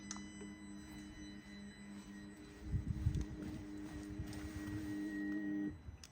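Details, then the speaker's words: Fuel pump run by a scan tool actuation test, engine off with ignition on: a faint steady hum for a few seconds that cuts off cleanly; normal fuel pump hum. "And here we'll start the F1 actuation. So I can hear the humming."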